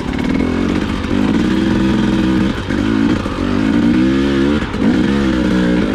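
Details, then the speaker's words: 2020/2021 KTM TPI two-stroke dirt bike: engine keeps breaking up and stumbling at low rpm and light throttle, badly sputtering; suspected faulty crankcase pressure sensor, not yet confirmed. "so you can hear this is sputtering pretty badly it's pretty annoying to ride"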